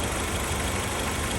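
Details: 1997–2001 Honda CR-V, 238,000 miles, idling after new distributor and two new sensors cured a no-start: steady, even idle with smooth low rumble, no misses, knocks or hunting; running normally.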